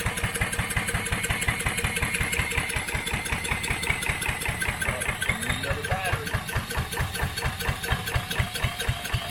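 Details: Coleman Contractor 4200 generator that sat for years, fed from a jar of gas and spun by a drill: steady rapid chuffing with no firing or pickup until the drill dies; cranks but won't start, cause unconfirmed.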